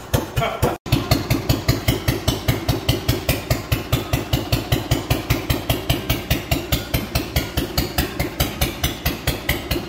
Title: "Clinton" Stationary engine. First start in 5 years🤠 ..And now it powers the Compressor❤